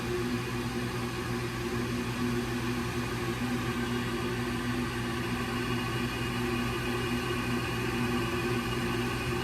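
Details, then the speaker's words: Old Rheem condensing gas furnace with no-heat complaint: after the hot surface igniter glows cherry red, the gas valve opens and gas flows; steady even inducer-fan whir with faint hum, no rattles. Normal ignition sequence, fault was a failed replacement igniter. "Should hear the gas valve. There's the gas valve. It should have gas. And we do we have gas. Nice."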